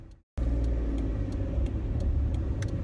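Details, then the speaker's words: Peugeot 107 (same as Toyota Aygo/Citroen C1), test drive after replacing the driver-side front wheel bearing that was noisy at speed: steady low road hum, no growl or drone building with speed; the bearing noise is gone and it runs quiet. "oh it's silent that Waring's gone [Music] you're driving down the road is gone it's quiet it's beautiful it sounds like a different car"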